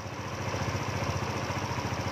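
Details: Yamaha Novo scooter, ISC valve reset without a scan tool by letting it idle about 30 seconds before refitting the screw: an even single-cylinder putter with no hunting or stalling. Normal idle.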